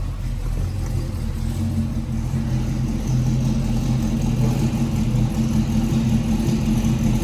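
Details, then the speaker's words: 1965 Chevrolet El Camino, 283ci V8, Powerglide, Edelbrock carburetor, dual exhaust, cold start then warming: deep, throaty, even rumble swelling as it revs, no misses, knocks or smoke; normal idle and rev. "but it doesn't smoke sounds really throaty dual exhaust is just really great on these yeah I don't know if you can hear but it's just a great exhaust note there you go guys thanks again"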